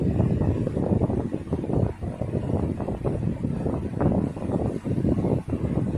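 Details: 1960s 16-inch Toastmaster box fan on medium speed, first start in nearly two years after storage; steady even whoosh with low hum, no knocking or rattle: normal running.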